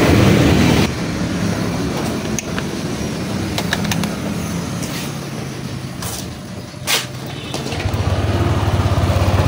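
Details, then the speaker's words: Yamaha Aerox 155 scooter idling: uneven, rattly clatter from the CVT pulley set with dragging, caused by a loose pulley nut with stripped axle thread and bushing. "Ang i-check natin dito yung kanyang pulle set. So kadalasan yan ayan merong tunog na kumakalampag."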